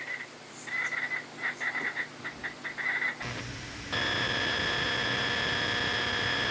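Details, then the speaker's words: Buzzy interference bursts, then a steady high whine with hum underneath from the studio monitors: ground loop noise, a common cause of hum and interference in audio setups. "ground loops are quite common in audio setups it's a major cause of noise hum and interference it can sound like this"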